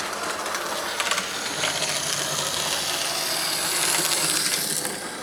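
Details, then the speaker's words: Lima Express Parcels van model railcar with 3D-printed replacement gear, body refitted, lapping track: busy high hiss with fast irregular clicking; usual noisy running for these railcars, not too bad. "it sounds just like it used to sound before they've always been a bit noisy these um um rail cars so uh it's not too bad actually"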